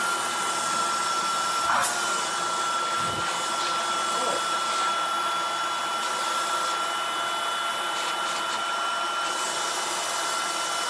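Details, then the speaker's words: Shark vacuum after installing a new or refurbished replacement motor assembly, switched on: smooth even motor rush with steady high whistle, no rattles or grinding; quiet and running well. "well that works freaky works really good really really good which I would hope so if it's a brand new motor or a refurbished motor wire it's really quiet I like how quiet that is"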